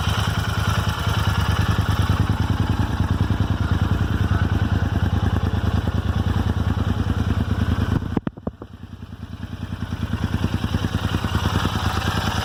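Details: Royal Enfield Interceptor 650 at idle: crisp even tick about three per second, like a clock's second hand, from the left rocker cover area. Dealer could not diagnose it.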